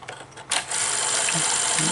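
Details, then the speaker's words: Sony SL-HF900 Betamax VCR that plays then stops: a sharp click as the bottom solenoid at the reel table motor engages just before play, then a steady transport whirr; normal solenoid engagement. "hit play there we you heard the solenoid there the solenoid on the bottom kicks in and then there's this solenoid here that kicks in"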